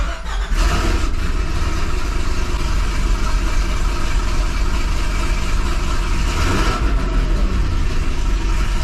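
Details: 2005 Chevy Corvette V8 on first fire after installing a C7 starter with heat shield and ceramic-coated Kooks 2-inch headers: it catches quickly and settles into a deep, even rumble with a clean rev. No misfire or rattle; a healthy start.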